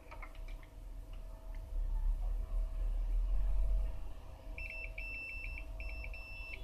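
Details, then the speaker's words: Rare vintage one-band radio: the variable tuning capacitor is tested with a meter on buzzer setting; the continuity beeper sounds in short repeated bursts, showing it is shorted and must be replaced. "As you can hear, it is shorted. It has to be replaced."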